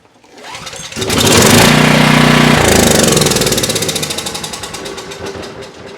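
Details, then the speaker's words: Coleman Powermate 6250 generator (PM0545007.01), Briggs and Stratton GenPower 305 10 HP OHV engine, found sitting unused, start after fuel released with no leaks: pull, catches and runs briefly with even fast beat; starts and runs normally. "Okay, I think that's a good sign."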